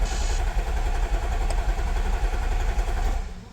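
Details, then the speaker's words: 2014 Audi SQ5 3.0 turbo diesel, very high kilometres, crank-no-start: cranking cadence limps unevenly, one stroke lighter than the rest, engine never catches; sounds like one cylinder is down on compression, fuel pressure slow to build. "Obviously it was just cranking, and you could tell by the cranking cadence it sounded like one of the cylinders was down."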